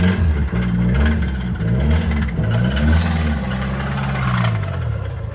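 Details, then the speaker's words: 2010 Mazda 3 2.3 turbo that barely runs, parking brake stuck, smelly: rough unsteady running with wandering revs and dull clatter from the bottom end, rod knock; engine to be pulled and replaced, oil later found full of metal. "yeah she's definitely unhappy on the bottom end it's winking at us"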